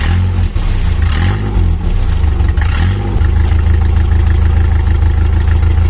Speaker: también cuando el tubo del escape está roto el ruido no llega al silenciador y previamente escapa sonando más o menos de esta